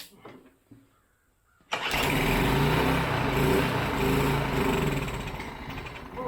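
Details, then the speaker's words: Long-stored Briggs & Stratton 5 hp four-stroke air-cooled mud motor, primed with gas: catches after a few cranks, runs rough and loud then sags and fades; fuel pump possibly not picking up. "very cool well that's alive that's worth something that's where something now I'm excited might not be picking up as fuel pump can't tell"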